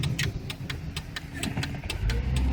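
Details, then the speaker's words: 1999 Chevrolet Malibu at about 35 mph, brakes just replaced: a deep heavy cabin rumble with rhythmic ticks around four per second; badly worn wheel bearings needing immediate repair. "well there's a guy on YouTube that was talking about how this car was the worst bearings that he'd ever heard well this is my daughter's car it is night out"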